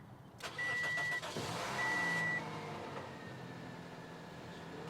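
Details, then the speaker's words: 2005 Toyota Matrix XR suspected of a parasitic drain, bad battery or bad alternator. With a different battery fitted it cranks briskly, catches and settles toward idle, showing the old battery was weak. "You just didn't start it fully. And guys, this right here is the problem."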